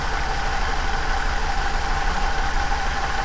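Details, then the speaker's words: 2007 Chevrolet Silverado with a check engine light, misfire moved from cylinder 3 to cylinder 1: uneven idle with a low thump about three times a second and a faint tone. Unplugging changed nothing, so the plug wire or coil is suspected. "all right well cylinder number one guys we're making progress we are narrowing it down so as i unplugged it nothing happened so it's not the plug it's actually either the plug wire or the coil feeding this wire"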